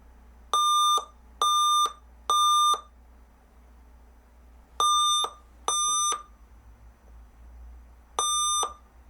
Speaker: Now in a moment, we should have a few annoying beep codes.